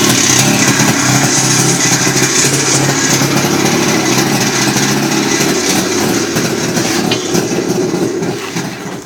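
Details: Abnormal engine noise from an RMZ-500 two-stroke: buzzy run with rough, uneven clatter as revs rise and fall; unwanted mechanical noise, cause unclear.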